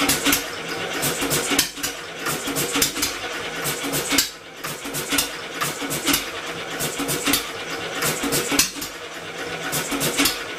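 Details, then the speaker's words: Homemade double-expansion engine from a two-cylinder air compressor, electric motor assist, after moving the ignition magnet closer to its sensor: irregular rapid popping, never steady, can't sustain itself; owner suspects the flywheel (original pulley) is too light. "trying to wean it off the motor going slip the B I can well that's all for that couldn't quite pull itself over close but no cigar at least we have a semi Runner"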